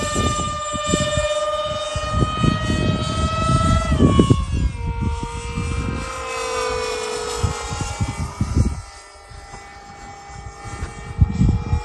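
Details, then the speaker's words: Experimental Blob model with two 50mm EDF units on 3s lipos: high ducted fan whine that won't hold steady, climbing and dropping in pitch as the fan surges at throttle. "No, that fan sounds awful. You can hear it surging."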